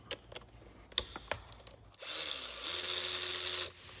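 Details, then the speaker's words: Makita DWR180 cordless ratchet after teardown, cleaning and reassembly: a few clicks, then a smooth high-pitched whir that spins up and holds steady with no grinding or rattle; motor runs normally in both directions. "Sounds good. Other way. Sounds pretty good."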